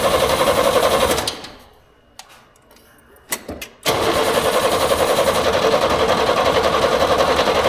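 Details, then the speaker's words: 1938 International pickup, key-start attempt after supper: even starter churn at about four beats a second, a pause, more cranking, never fires. It ran quietly soon after; owner guesses it had been flooded with too much fuel. "still doesn't look good golly what the heck man don't get it"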